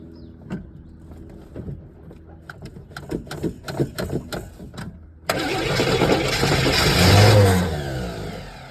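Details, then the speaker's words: 1981 Chevrolet Camaro 3.8 litre V6, sitting since 1989, first start attempt with choke left to work and fuel poured in the bowl; about five seconds of uneven cranking, then it catches and revs up rough. "Hey, it actually ran. She made noise."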